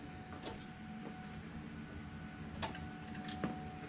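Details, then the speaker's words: 2002 Mustang GT with Coyote engine swap on first start attempt: quiet, a few sharp irregular clicks about once a second and no cranking; relay clicking heard down at the starter. Cause suspected, not confirmed. "I don't know I hate something like relays popping it's down at the starter"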